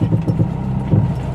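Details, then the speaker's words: Maruti Suzuki Swift (pre-latest new model) driven on rough ground: dull low "tuk tuk" taps in quick bursts as suspension works over small bumps; worn front stabilizer link ball joint knocking. "കണ്ടോ sound took എന്നൊക്കെ ചെറിയൊരു ചാട്ടം ചാടുമ്പോൾ തന്നെ suspension ചെറിയൊരു work ചെയ്യുമ്പോൾ തന്നെ ടക്ക് ടക്ക് ടക്ക് ആയിട്ട് sound"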